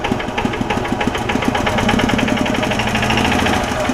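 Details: 2006 Club Car DS gas golf cart, Kawasaki engine, after an engine-out job for a blown crankcase gasket; quick, even ticking over a busy idle that keeps pace with engine speed; light knock with some smoke, suspected from once running low on oil.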